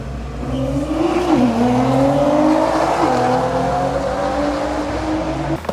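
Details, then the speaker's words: 2010 Nissan GTR (R35) in earlier healthy driving clips: engine pulls hard, pitch climbing smoothly through the gears with clean shifts, no knocks or rattles; normal acceleration. "So that's what a healthy GTR is supposed to sound like."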